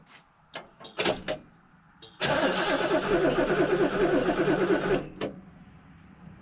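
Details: Barn-find Lincoln Mark III, unrun for years (last ran around 2004 or 1983, unsure which car), cranked with gas added after cleaning the points and fitting a new Napa coil; steady rhythmic starter churning for about three seconds with no firing. It cranks but won't start.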